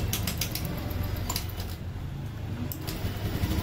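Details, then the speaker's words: Honda Beat scooter before repair, hard starting: low rumbling cranking with ratchety clicks that never settles into a clean run. Once running, throttle won't raise RPM. Blamed on a very dirty fuel filter and weak fuel pump. "So Pakinggan niyo siya pag umi so medyo hard starting napti yan so yan so mahirap ng"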